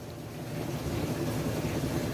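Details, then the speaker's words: Washing machine after repair of loud airplane-like spin noise: smooth, even low hum with soft swish, no roar or grinding; spin cycle now quiet, normal. "e Olha como essa máquina tá silenciosa pessoal é a diferença a diferença do barulho"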